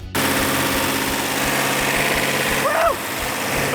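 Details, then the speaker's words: Freshly rebuilt numbers-matching 426 Hemi (Phoenix Cuda) after first startup with a little timing and carburetor adjustment: steady, even idle with an unbroken beat, no pops or stumbles. Exhaust checked by hand for misfire; all 8 cylinders firing equally. "This case, I had a perfect running engine. All 8 cylinders were firing equally."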